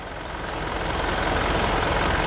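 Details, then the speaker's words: Mitsubishi Pajero Dakar diesel, 146,228 km, after oil and filter change and service: smooth even diesel clatter that builds briefly then settles, healthy idle with no odd knocks. "e agora vamos escutar esta que é a melhor melodia de motor a diesel que existe"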